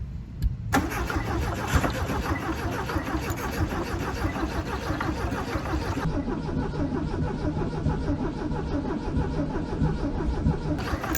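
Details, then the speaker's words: 1968 VW Beetle air-cooled engine, sitting 35 years, first start attempt with gas poured in fuel bowl, in neutral, timing set static: starter cranks steadily, pauses, cranks again, sounded like it wanted to start but never fires. "All right, give it a crank a minute. Wait a second. Sounded like it wanted to start."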